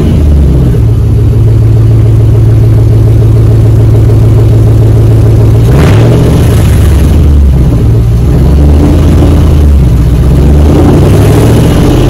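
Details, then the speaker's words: 2004 Dodge Ram 1500 Hemi 5.7 V8 after muffler and resonator delete, straight pipe fitted underneath; deep, loud, lumpy unmuffled burble at idle rising cleanly with throttle blips; normal idle and revs, healthy engine. "put a straight pipe right here right there all right just gonna start the car so it will be loud"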